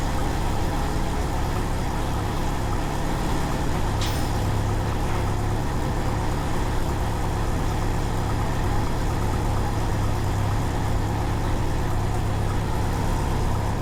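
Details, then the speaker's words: 1993 Jeep Wrangler YJ 2.5L that sat over a year, idling low and rough with no tapping; timing had been about 15 degrees off and is now being set with the distributor, reading 8 degrees, with a vacuum or exhaust leak suspected. "It's been sitting for over a year, and it's having a low idle issue, and it's not running that great whenever it's idling."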